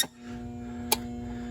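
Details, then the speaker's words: Steady electrical hum from a 48,000 BTU central AC outdoor unit: contactor energized and humming but the compressor not running, house blowing warm air; the cause was a bulging (failed) capacitor, which was replaced. "oor unit is not running. It's humming though. I hear it humming. She's humming. Okay, we have a humming contactor."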